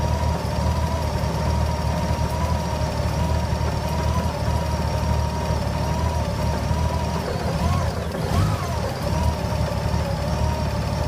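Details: GL1800 with a deep, uneven idle that wavers and stumbles rather than holding a smooth beat. Rough idle.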